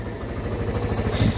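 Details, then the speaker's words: Suzuki Thunder 125 brought in as a no-start case, left idling about two hours with a non-original rectifier fitted to see if it dies: steady, even low single-cylinder thumping with no stumbling; still running and not stalling, normal idle. "so Welcome back tayo umaandar pa rin yung motor problema hindi naman namamatay Aya na mamatay mga bro"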